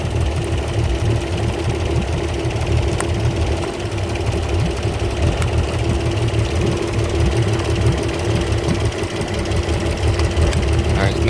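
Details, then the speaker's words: Port Yamaha outboard on a 385 Pursuit, running poorly, fuel uncontaminated: rough, shaking idle with a lumpy, skipping beat, one cylinder seemingly dead; coils about to be pulled to see which cylinder, if any, is misfiring. "let's start just this one you can see it's shaking pretty bad so we can do is pull our coils and see what we can pinpoint what cylinder is doing it or if it's cylinder at all"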